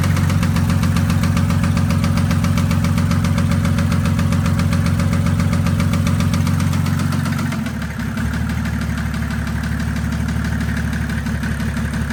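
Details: 1984 Mercedes 190D with a built 1998 OM606 turbodiesel drag engine, after a full pull: a deep, heavy knock at about four a second over the idle; injector suspected at first, but metal shavings in the oil filter reveal bottom-end damage.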